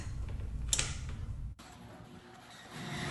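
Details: Polaris Outlaw 110 EFI four-wheeler, battery at 12.5 V: a single sharp click on pressing start, then no cranking. Stuck brushes in the starter were found and fixed.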